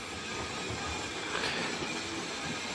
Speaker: now we're just going to set the points here now and we're running around and obviously there's already been a rather long video feature today doing this but it's all part of the bonus footage for today now you'll see she's a very good runner as well